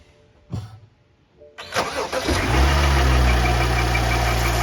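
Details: 2013 BMW X5 xDrive35i first startup after replacing a squeaking serpentine belt: starter whirr, quick catch, steady even idle with no belt squeal or chirp; normal idle.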